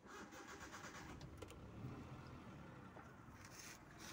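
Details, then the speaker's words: 2013–2014 Hyundai Eon Era Plus, first owner, 5-speed manual, 68,185 on the odometer: engine catches cleanly and settles into a quiet, even idle with no knocks or rattles; starts and runs normally. "চাওক, গাড়ীখনৰ ইঞ্জিনটো একদম silent, একো sound নাই গাড়ীখনৰ বিষয়ে। Normal."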